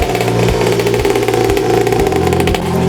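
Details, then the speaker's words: Built high-compression motor swapped into a 50cc Temu dirt bike, replacing the blown stock 49cc: crisp single-cylinder barks through repeated blips, settling cleanly with no knock or rattle; sounds like a real dirt bike, healthy. "The difference between this motor and the Teimu 50 C 49 cc motor that came [music] with it is that this motor actually sounds like a dirt bike and it's like chomping"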